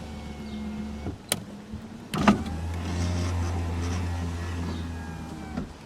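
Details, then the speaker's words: 1987 Toyota Camry LE power window, held down since auto function no longer works: low steady motor hum for about three seconds with a slightly rough edge as the glass travels; the window motor is a little noisy. "that one's a little noisy"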